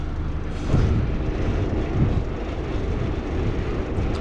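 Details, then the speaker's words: PTAC air conditioner cooling after the vibrating unit was secured with screws, temperatures coming down and much quieter; dirty unit: steady deep fan and compressor rumble with no rattles, squeals or cycling; normal cooling operation. "temperatures are coming down it's much quieter after i put in the screws"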